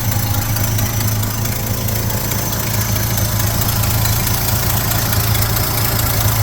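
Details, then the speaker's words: 1972 Chevy C10 V8 with a new distributor, running cold with coolant added: deep, even idle burble with no ticking, steady and smooth. Normal idle. "Sounds good, doesn't it? I got radiator fluid in it, coolant, whatever. It's in there. Sounds good. I don't really hear any ticking, but my hearing is not all that great."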